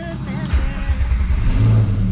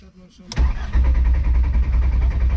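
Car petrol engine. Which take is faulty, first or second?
second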